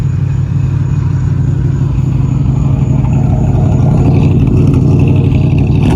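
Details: Resurrected 383 V8 with oil pressure, fan bolt on front loose, revved to hit the pipes: deep rumble climbing as throttle opens, strong and even through the exhaust with no knock or miss; healthy rev.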